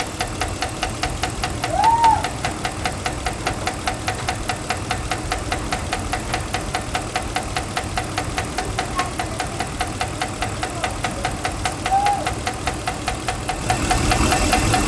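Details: 2012 Ram 5.7 V8 at idle: a steady, fast ticking knock of roughly two to three a second rides over the idle. Cause unknown. Engine knock.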